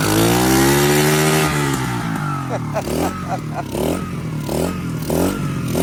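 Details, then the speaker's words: 2021 Kayo 70cc kids dirt bike, under 5 hours, after a no-start fixed by cleaning and reassembling the carburetor: starts on choke, buzzes high, answers throttle blips crisply and settles to a steady idle; runs normally. "It wants to run. Could give her some choke. There you go, boys and girls."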